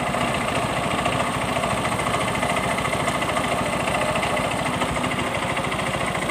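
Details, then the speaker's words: Yamaha Mio M3 125 scooter idling and blipped, heard at the CVT case: fast, light tek-tek ticking rattle from the CVT side, caused by no CVT grease; CVT rattle at idle. "Di bagian bak CVT-nya di sini, ya, bunyi tek tek tek tek juga, ya. Oke, dari bak mesin sudah kedengaran."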